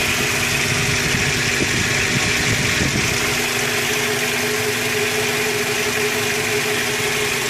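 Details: 2001 Toyota Tacoma Prerunner 2.7L at idle; rough, irregular clatter over steady idle, loudest in first few seconds; source of clatter undetermined.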